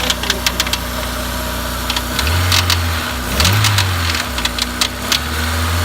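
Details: Honda S2000 F20C at idle with a light uneven ticking over the low drone; cause unknown, with new OEM timing chain tensioner fitted and rod bearings, thrust bearing, head, cams and retainers checked OK.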